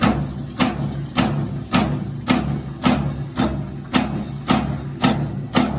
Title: Maytag washer making noise